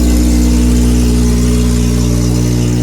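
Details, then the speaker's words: K-swapped Honda Civic on jack stands, first start on booster pack, rear exhaust fitted loose: steady petrol idle with a puffing edge about four times a second, not revved yet; exhaust leak at idle. "sounds decent, to be fair. Not revving it yet. Does it sound a bit exhaust leaky or not?"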